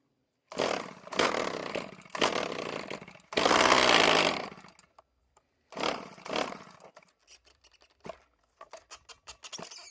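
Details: RedMax string trimmer two-stroke, sat for years, after it blew up, full throttle with choke on: short raspy revving bursts cutting out between pulls, won't hold steady run; still has lots of compression; cause unconfirmed.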